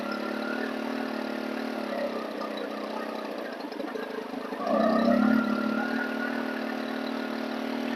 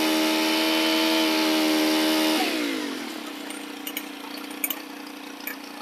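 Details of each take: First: Stihl FS 110 four-mix trimmer engine with an air leak: idle wanders and surges, slow to return to idle, swinging wildly between extremes as the low-speed mixture needle is leaned then richened. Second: Stihl FS 110 4-mix four-stroke engine after the leaking crank seals were replaced and the cam plate bolts torqued. It holds a clean high buzz, then drops smoothly to a steady idle with no hunting. It runs normally.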